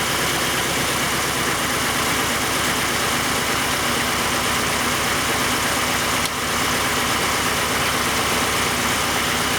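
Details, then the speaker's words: 1991 Oldsmobile Cutlass Calais 2.3L Quad 4 DOHC idling: uneven, stumbling, lumpy idle that never settles; misfire worsens with injector one plugged in, and unplugging injector four makes no difference, traced to a shorted injector. "I can plug it in it actually gets worse with number one plugged in and then if I disconnect number four then it seems to not make a difference"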